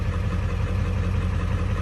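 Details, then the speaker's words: 7.3 Powerstroke diesel warming at idle after IPR replacement: a steady, even low clatter with no stumbles or misses, running a lot smoother and quieter. IPR is dropping slowly to 19.5%, with blue smoke while cold. "But wow, I mean, it seems to be running a lot smoother, honestly."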